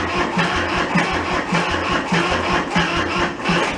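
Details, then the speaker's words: Kubota L225 diesel tractor sitting about 10 years, cranked without glow plugs in warm weather with throttle partly open: labored, uneven cranking under two turns a second, dragging as the battery goes flat; won't catch. Slow cranking from weak battery. "losing battery i'm gonna give her a little bit more throttle and then uh we'll get some more power to it yeah i'm out of juice"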